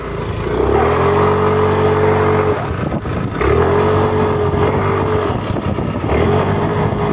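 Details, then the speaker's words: New Yamaha NMAX scooter that can't climb hills: three rev bursts, pitch climbing and flaring high without settling under load; CVT belt slip from an oil-contaminated clutch caused by a leaking crankshaft seal, fixed with new seal, V-belt and rollers. "dan seperti itu bunyinya nanti kita akan cek apa permasalahan yang mengakibatkan nmax new ini bunyi seperti itu bunyi slip ya teman"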